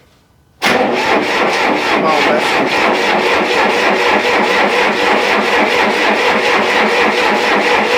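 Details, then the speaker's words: Diesel engine being restarted after running out of fuel; fuel reopened and hand-primed. Even cranking at about two beats a second for eight seconds, never catching. Possibly air in the fuel; owner may need to crack the injectors and bleed them. "I might need to crack the injectors and uh bleed it out again"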